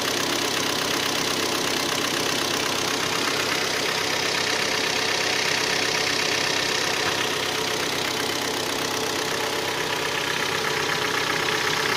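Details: Hyundai ix35 G4KD engine, 66,000 km, after 12 hours standing outside; steady idle with an even, hard metallic knock at about three beats a second; scored cylinders 2, 3 and 4.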